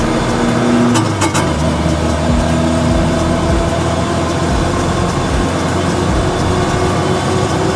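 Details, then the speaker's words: Car driving on the road with worn rear differential after a lead-based additive replaced the filings treatment: steady low droning hum persisting with speed, louder than with filings; the additive did not work. "гудит т э ребят не работает блин с опилками было лучше намного"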